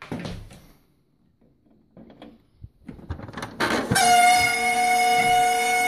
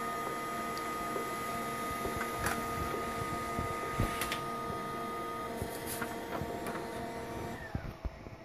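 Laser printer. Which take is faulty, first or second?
first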